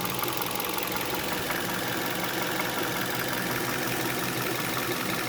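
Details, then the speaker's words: 2011 Hyundai Solaris G4FC, 166k mileage, 15°C morning, warmed to 92°C: dull irregular knock about once a second at hot idle under the hood, fading when revs rise and returning at idle; timing chain replaced, cause unconfirmed. "стоит на холостых чуть-чуть начинает проявляться Ну вот проявляется сейчас под капотом послушаем"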